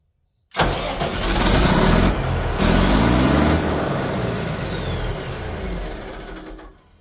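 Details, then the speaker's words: Katolight 110kVA generator, old chicken-coop unit that wouldn't start: cranks briefly, catches and settles into a steady, even run with no knocks or misses; it runs. "It runs. I'll wait till my dad and my brother get here to test it, test all the voltage and stuff."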